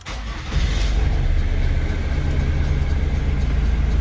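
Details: Ford Mondeo Mk3 2.2 TDCi diesel after replacing turbo actuator for code P132B, low power and unstable idle: starter turns briefly, engine catches within half a second and settles into steady even idle; sounds healthy.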